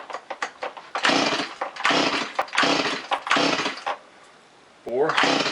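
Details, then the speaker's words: Freshly rebuilt Stihl MS180 chainsaw, compression confirmed, first start attempt with gas and oil: about five rasping pull-cord strokes, no firing or catch; owner suspects plug fouled by assembly oil in the cylinder. "Okay, I probably fouled the plugs of all the oil in the cylinder. I'm going to try again."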